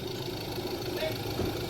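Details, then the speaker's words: Ford Ranger 2.2 diesel after crank-no-start repair (diesel line reconnected, coolant topped up): steady even idle with no knocks, misses or hunting; normal idle. "ayunandar na so coolant lang pala yung dahilan bakit pa tayo pinahirapan"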